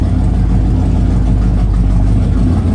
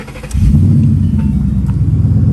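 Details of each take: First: Flood-damaged Mustang V8: deep rough rumble holds a few seconds then sags and dies; owner says it's in limp mode, cause not pinned down. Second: Flood-damaged Mustang V8, first start after fitting new spark plugs for a suspected plug problem: brief crank, catches at once, settles into a deep even idle with no misses; normal startup.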